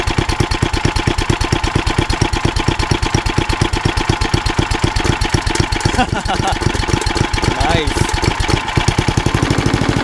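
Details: Old rusty Tecumseh 10 hp HM100 single-cylinder engine at idle after a genuine Tecumseh carburetor replaced a knock-off one (knock-off carb or its corrosion blamed), muffler refitted: quick even beats at a steady pace; runs smooth and healthy.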